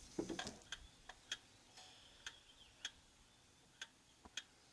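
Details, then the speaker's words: Antique Vienna Regulator wall clock with the case bottom moved sideways. Ticks are unevenly spaced with alternating long and short gaps; the meter reads 40%, out of beat and will not run. "40%, and that will not run. And it will be the same if you move the case the other way."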